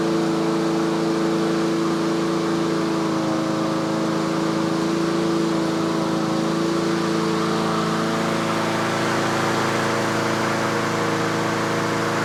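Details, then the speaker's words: Yard Machines/Yard-Man 21-inch self-propelled push mower in tune-up, warmed up: steady, even drone with constant pitch and no surging, about 3300 rpm by inductive tach, the usual set speed; running cleanly at governed speed. "so that's the inductive attack it's running about 3300 that's where i normally set them"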